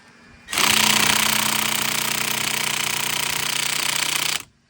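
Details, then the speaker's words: Car tire rotation, cold day: cordless impact wrench on a lug nut gives a harsh rapid hammering rattle for about four seconds without breaking it loose; owner suspects a dead battery and switches to manual tools. "The gun is like dead. Maybe my battery's dead, that's why. It's gonna probably force me to do it the manual way."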